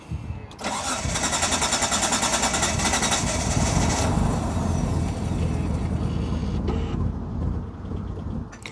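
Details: 1995 Mitsubishi FTO GR not started in 10 years: starter spins engine steadily about 2.5 turns a second for several seconds without catching; owner suspects fuel pressure or a seized in-tank fuel pump, unconfirmed.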